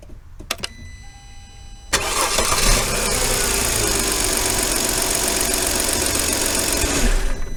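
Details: Long crank, sometimes no start on first try, on an 08 Mercedes CLK350 (M272) that runs fine once started. Fuel rail pressure bleeds to zero after shutdown; suspected leaky in-tank pressure regulator or injector.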